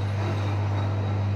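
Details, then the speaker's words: Electrolux EWS 1046 washing machine (spins up to 1000 rpm) spinning an empty drum with the room fan switched off: smooth, constant low hum with no thumps, rattles or bearing rumble, the motor barely audible, quiet and healthy. "Слышите, что работает не шумно, мотор не слышно практически."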